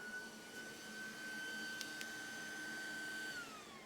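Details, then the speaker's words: GPU mining rig power supply, wattage below normal 4600-4700 W: high steady fan whine holds a few seconds then winds down; faulty breakout board glitching, cutting power to GPUs on and off. "That breakout board is like glitching out and stopping and starting power to these cards."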